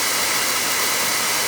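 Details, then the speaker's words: Oil boiler burner that ran out of oil, on purge cycle while bleeding the line: steady, even airy roar from the blower with no firing rhythm, much air still in the fuel line. "There's really a lot of air in that sucker. A lot of air in there."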